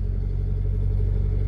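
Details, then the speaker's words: Honda Civic petrol engine just started cold after a no-start, no check engine light; smooth steady idle running slightly fast, RPM elevated because it is a cold start, normal until it reaches operating temperature. "start siya ng walang check engine light ito ay called start guys kaya mataas pa yung RPM niya"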